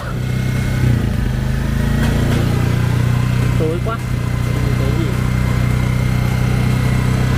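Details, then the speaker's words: Yamaha Jupiter FI (2020) rebuilt after seizing from running out of oil, idle turned down: small single ticking over at settled fairly low idle, soft even beat; engine quiet again, normal idle. "bây giờ các bạn sát lại thì nghe tiếng máy như các bạn nhắc đó máy lại Trở về như cũ là chỉ thầm các bạn ạ"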